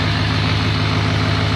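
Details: 2017 Chevy Silverado 2500HD Duramax diesel, first start after installing Banks Ram Air intake: deep, even diesel rumble at steady idle with no knocking, misses or rattles; healthy normal idle.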